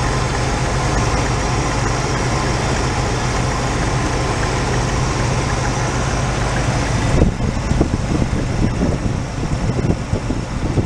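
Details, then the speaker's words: 1986 Oldsmobile Cutlass Supreme, automatic, revived after sitting about five years, idling on a lift: an uneven, puffy V8 beat with irregular ticking pops on one side, maybe both. Owner suspects an exhaust leak but doesn't think the cut-off emissions pipe is leaking; unconfirmed. "it's popping on this side [Music] hard to say might be one on each side"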